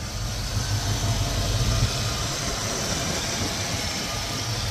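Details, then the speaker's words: 1986 Ford Mustang GT fuel-injected 5.0 302 V8 with BBK headers, off-road exhaust and turbo-style mufflers: steady mellow V8 burble at idle, no knocks or misses; idles nice, no issues. "idle's nice no issues just a good good good running 5 out"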